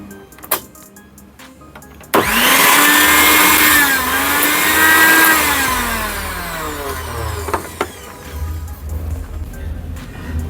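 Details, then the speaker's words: Preethi mixer grinder, previously very noisy, test run after bush change and reassembly: the motor spins up sharply to a smooth, steady high whir and winds down with no grinding or rattle, so it sounds repaired and healthy. "इसको मैं आपको एक बार चला के दिखा देता हूं चलता है कि नहीं मिक्सी सही हुई कि नहीं हुई"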